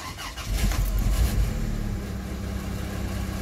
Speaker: we have fuel pump we have a Sounder and we have a response have we got a start